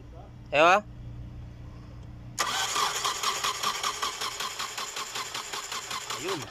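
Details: 2000 Hyundai Sonata: after a short chirp the starter cranks with rapid, regular pulses for about four seconds and the engine never catches; crank no start, with wiring, relay and fuel pump being checked.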